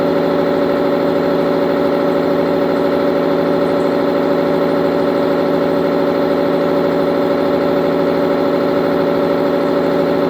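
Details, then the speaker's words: Tribotester friction test of engine oil with additive: loud steady droning hum with a rough rubbing edge, irregular and at times rhythmic, pulsing about twice a second; vibration from pitting, surface material torn out under insufficient lubrication, with temperature rising. "No i to też ten hałas, który słyszeliśmy, taki nerytmiczny czasami rytmiczny, to kwestia właśnie m.in. już tego pittingu. Kiedy dojdzie do wyrywania części powierzchni, to później następują te wibracje."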